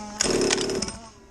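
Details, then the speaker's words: Misfiring MCD RR5/XR5 ALX 50cc two-stroke pit bike buzzes up in a harsh half-second burst then sags toward idle, clutch trying to engage at idle when held; strong 8,000 clutch spring suspected broken, may just need tuning or be warm. "And the clutch has gone. Really? It's trying to go, look."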